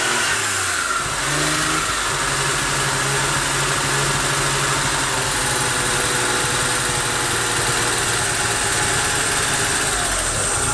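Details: Daewoo Matiz, about 2013, 113,000 km on speedometer, engine started for diagnosis: idling and revving with a rough, uneven clatter on top; internal knock of unclear source, owner suspects problems in both head and block.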